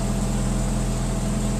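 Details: Saab OG 9-3 running after fuel filter replacement and priming by cycling the key, before checking for leaks: a steady even hum at constant speed with no misses, knocks or ticks, so the engine is running smoothly.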